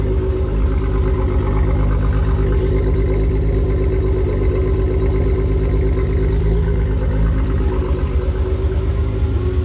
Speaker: Sounds like 6 now. Alright, we're looking good. That's 6 cylinders. Yes, sir. It is fixed. Oh, hear it sounding so smooth.